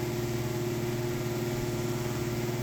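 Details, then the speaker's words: Broan exhaust fan at a restaurant, light also out: loud steady hum with a rough, fluttering whir at constant speed; noisy fan that seems to need servicing, cause not confirmed. "That is one noisy thrown exhaust fan. It sounds like it needs servicing."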